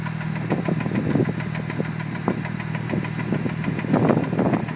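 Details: Mitsubishi Evo 8 at idle: irregular sharp knocks, several per second, over a steady low rumble; previous owner says it is the clutch release bearing, unconfirmed.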